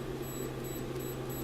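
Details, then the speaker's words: DeWalt USA-made cordless hammer drill, motor near 1/3 hp, on battery into a homemade resistor-bank load; the trigger brain box pulses the motor, on-time setting voltage and speed. Thin high whine holds constant pitch over low hum; normal PWM switching noise. "I'm going to show you what pulse width modulation looks like what that brain box is actually doing is sending pulses to the motor and depending on the on time the width of the on time it has a different voltage of course voltage in this motor equates to speed"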